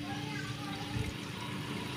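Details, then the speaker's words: Hero HF Deluxe BS6 fuel pump, ignition on after repair and refitting, with output checked into a container: a steady low electric hum as fuel flows and gurgles out with pressure. The pump primes and delivers fuel normally. "यहां पर देख सकते हैं इसमें boil आ रहा है यानि कि अपनी टन की मोटर सही से भर कर रही है"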